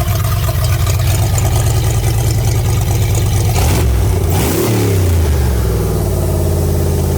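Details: Ford Fox body Mustang V8 on its first start in 18 years: a deep, very loud rumble rises when revved. It is much louder than stock because the exhaust is loose underneath and still needs welding on, an exhaust leak.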